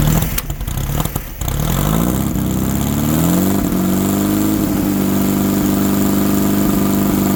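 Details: 1964 VW Baja Bug, formerly seized engine, sitting over a year, started on old gas: catches after a few cranks, pitch climbs as it is revved, settles into a steady, even run; healthy.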